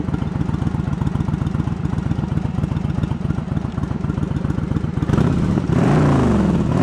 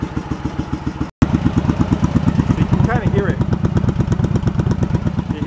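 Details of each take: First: Yamaha Virago 1100 V-twin after carb repair and synchronisation: even loping idle, then smooth throttle blips rising and falling, cylinders balanced; one cylinder pops slightly, owner may adjust the air-fuel mixture screws after a road run. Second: Yamaha Virago 1100 V-twin after carb repair, cold, on vacuum gauges: lumpy idle pulses about three per second with one cylinder thumping harder than the other. The carbs are out of sync and need throttle balancing.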